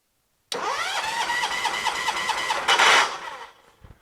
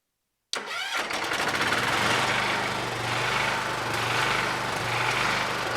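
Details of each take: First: John Deere 214 lawn tractor: starter spins briskly and evenly for about two seconds with no firing; spark tester shows no spark; owner disliked the starter sound, suspects a swapped coil or confused wiring. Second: John Deere 214 garden tractor after sanding the ignition points and rewiring the purple wire: half a second of quiet, then the engine cranks, catches and settles into a steady, even idle; starts and runs normally.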